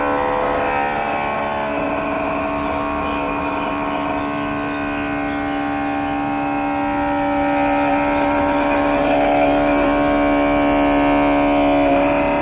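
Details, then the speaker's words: Air conditioner outdoor unit, heard from behind: a loud droning hum pulsing about four times a second. The compressor is making an abnormal noise; repair was judged too costly, and the customer was advised to buy a new AC. "Sound ऐसा कर रहा था कि पूछो मत।"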